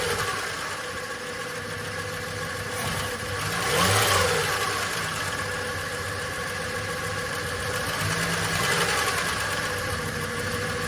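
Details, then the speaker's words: VJ Dodge ute long-stored, no transmission fitted, carburettor leaking fuel: catches and settles to ragged idle with metallic rattle and flare at start; owner suspects clutch or thrust bearing on pressure plate. Rattle on startup. "So, she's a go. Had a nasty rattle in it when it first fired up now."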